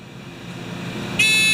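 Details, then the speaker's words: Discovery metal detector pinpointer, reassembled: faint rising hiss then one steady high beep, thin and boxed in, sound trapped inside the closed housing; fix planned by drilling holes in the shell. "Part of the problem. The sound can't come out. Wow. We'll fix that. I'm going to drill holes."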